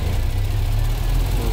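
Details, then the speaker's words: MAN diesel tractor head, idling just after bleeding the fuel filter and water separator, started on the first click; deep, steady diesel idle with an even unbroken low rumble, no knocks or misses. "bali, basta na-bleed ng maganda yan. One click yan. Under ka agad yan mga buddy."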